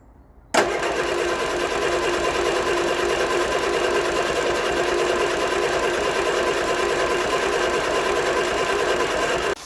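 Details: Vauxhall Viva HC barn find, cranking: steady, even starter churn with no catch or firing, so it cranks but won't start. Owner suspected weak fuel delivery or a blocked fuel filter or line; found out of fuel.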